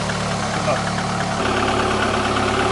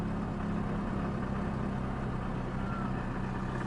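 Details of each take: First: VAZ 2110-family/Priora engine, first start after reassembly: even idle hum with no whine, rumble or bearing rustle from the front of the engine; sounds healthy. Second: VAZ 2110-2112/Priora, hot engine, heard under the hood: a steady low droning hum at idle, still present with the alternator belt off and the belt rollers new; water pump bearing suspected.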